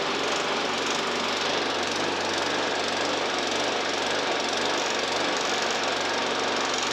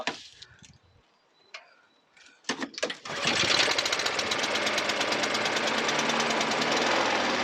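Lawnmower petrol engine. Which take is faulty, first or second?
first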